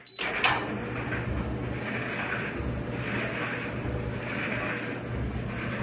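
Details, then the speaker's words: Frigidaire Electrolux Affinity gas dryer on high heat, normal, just after circuit board replacement and first test start: steady motor hum with soft whooshing swell about once a second as drum tumbles; runs normally. "i'm not sure if we'll hear the gas fire go off i think i hear it i'm gonna you just touch the exhaust with my hand and see if i can feels warm"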